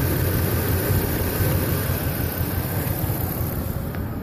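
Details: Toyota Tacoma petrol engine idling after the engine bay was washed the previous evening: uneven, stumbling low thrum with lurching rhythm, misfire and rough idle worsening while driving; cause suspected, not confirmed.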